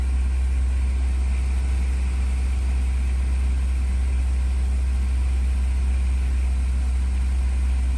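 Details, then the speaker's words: Honda S2000 after exhaust manifold gasket and flange repair and cleared codes, before warm-up: steady even low idle rumble with no puffing or ticking from the manifold; exhaust leak gone, idle smoother and normal. "certainly sounds a bit smoother already there's no more exhaust leak"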